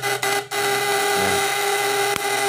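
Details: Homemade platina primer-type fish shocker, coil wound with 1.8 mm wire in 5 layers: a steady, even buzz with a clear hum and no stumbling or crackling. It is only warm, not hot, so running is normal.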